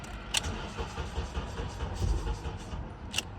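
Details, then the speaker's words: 2003 Honda Accord with an intermittent no-crank/no-start complaint: sluggish, uneven low thumping as the starter labours slowly during repeated cranking because the battery is going dead; a jumper was then connected. "oh batter's dying out look at that that sounds to makes the sound it makes right there okay battery was going dead on us"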